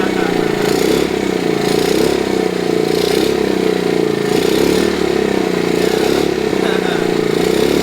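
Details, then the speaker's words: 1969 Honda CT70 small single, long-sitting non-runner, just started on choke with old oil: steady, even putter with no misses, knocks or hunting, idling cleanly; headlight works. "Sounds good, too. Been sitting around so long. Well, that old conicle oil makes them run clean, don't it?"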